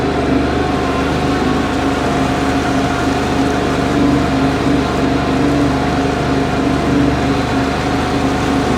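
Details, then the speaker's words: 2009 Sea-Doo Wake 215, supercharged 4-TEC, running on the lake during overheating diagnosis: smooth, steady drone with an even exhaust note and no misses or knocks; overheat not reproduced, and weeds possibly sucked up earlier. "Starts good now. Love the sound."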